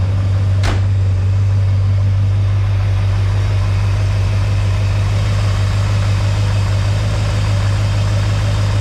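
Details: Chevy 350 small block with an overheating problem, after shimming its mini starter: it catches and settles into a steady, even idle with no starter shriek or grinding. The starter noise is fixed, but the overheating persists.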